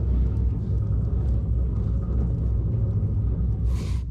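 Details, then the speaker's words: Trailer for 1972 14 ft Alumacraft row boat, hub hand-turned on jack stand: steady, deep rough grumble with no smooth spin; worn wheel bearing. "st this wheel spinning as you guys could see um that is really bad you can just hear the grumble to it"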